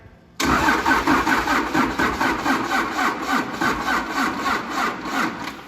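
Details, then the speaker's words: 1953 Mack A40 with an ex-school-bus 24-valve 5.9 Cummins, powered by a charger, a group 31 battery and a jump pack; sluggish cranking at about three compression pulses a second that never catches; slow cranking, no start, weak battery. "ah just not quite enough all right let's see what the battery charger and old wrinkly group 31 and a jump pack all hooked together can do"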